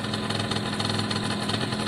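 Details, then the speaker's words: Italjet Formula 50cc two-stroke with carb, new fuel tap and airbox fitted, oil mixed in petrol: even crisp idle holding steady, tone settling as the electric choke cuts out; sounds healthy, normal idle. "Okay, so the choke's gone off now. But sometimes it kind of teeters on and off a choke, so on electric choke, electric, yeah, like this. So give it a minute. Sounds pretty healthy to me at the moment."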